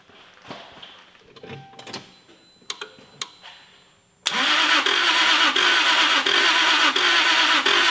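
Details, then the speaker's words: Toyota Supra MK4 2JZ engine cranked with the ignition coils and injectors removed: after faint clicks, a steady crank of about three beats per second with uneven pulses, most strokes empty, showing low compression on most cylinders; engine damage. "so hört sich der motor beim starten nicht an so da hört man richtig so immer jetzt kommt ein talina dann ist wieder so leer und da kommt ein zimmer ist wieder leer"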